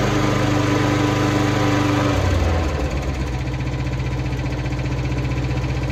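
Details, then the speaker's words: Hayter 41 lawn mower on a cold start after repair; it had died and would not run, and the fault was found to be a cable. It catches, then settles into a steady, even putter with no misses or knocks; normal idle. "There you go, even ticks over lovely."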